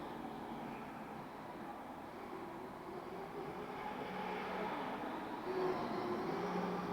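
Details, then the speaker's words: MJX 7304 Polo 1/7 RC car, second run on foam tyres; faint thin whining tones shifting pitch with motor speed over rolling hiss; unfamiliar noise, earlier thought to come from centre diff with motor, gear mesh checked; unconfirmed. "Ah, le bruit, on l'entend bien, là. Donc moi, je sais pas, hein, franchement, c'est pas un bruit familier en plus."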